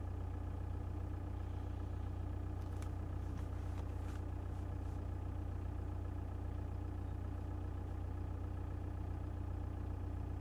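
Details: 1.9 TDI diesel at idle: steady rumble with a fast, even tapping knock riding over it; engine knock present, cause not pinned down.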